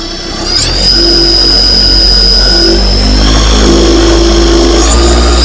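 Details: SP140 electric paramotor, armed in sport mode, first run-up: smooth electric whine climbs and holds a steady high pitch with an even propeller hum, no rattles or stutter. A healthy motor run-up.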